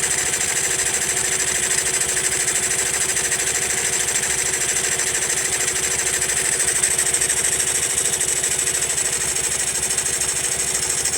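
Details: Honda Monkey idling with a fast, fairly even ticking clatter riding over the exhaust; the abnormal top-end noise persists even after tappet adjustment, source not pinned down.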